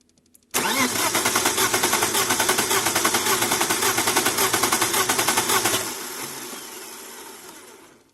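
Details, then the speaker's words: BMW E36 320i inline-six with a cylinder 4 misfire persisting after coil and injector swaps: starter cranking has an uneven pulsing beat with one weak compression stroke, indicating low compression in one cylinder. "في صوت واضح ان في واحد من السلندرات ما فيش ضغط، يعني الصوت المفروض يكون متتالي نفس الصوت المحرك، لكن صوت المحرك في احد السلندرات يعني فاقد الضغط تبعه."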